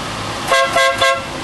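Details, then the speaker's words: Smart car after replacing the horn with an off-the-shelf unit with matching male connectors: three short, clear two-tone toots with steady pitch, no rasp or crackle; new horn sounds much better than before, working normally. "if you have a smart car you know what it sounds like before now it's much better"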